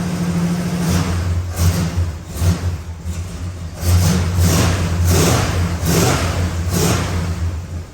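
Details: 1968 Dodge Super Bee 383 Magnum, just over 31k miles, original exhaust with one replaced Walker muffler, Pertronix ignition, new wires and cap: deep, even V8 idle with light rev blips, no knocks or ticks, slight muffler pop. Normal, tight engine.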